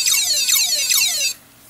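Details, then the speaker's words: Hard drive, believed from an old Sony Vaio laptop, asking to be formatted: three high, falling chirps about every 0.4 seconds, then the drive goes quiet; faulty hard drive, cause unknown. "I didn't know it shattered oh some are made out of a oh it's asking me to format it now it's stuck what the heck I've never holy jeez I've never heard that"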